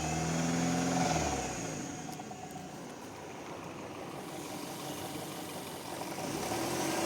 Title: Audi Q5 BAD ENGINE SOUND